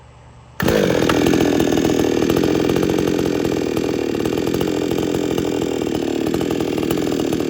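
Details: XtremepowerUS 6200 62cc two-stroke chainsaw with 20-inch bar and chain, phone set down nearby, needs no primer bulb for cold starts: abrupt start into a loud, steady buzz with no misfires or surging; normal running.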